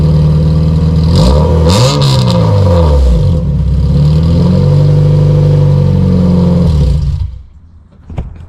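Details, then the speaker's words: Honda CRX LSVTEC revved on its canister muffler: a very loud, raspy drone swells on each rev and then dies at shutdown. It was loud on the freeway, and the owner suspects a broken canister baffle. "I truly think that the canister baffle is like broken, so it's not really doing its job"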